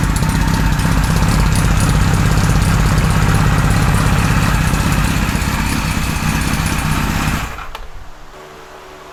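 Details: 1978 Kawasaki Z1-R four-cylinder on the stand with carbs installed (20 and 117.5 jets) and being re-synced on a Carb Tune Pro: even, fast, steady idle pulse that then drops away; carbs now pretty evenly balanced, runs pretty well.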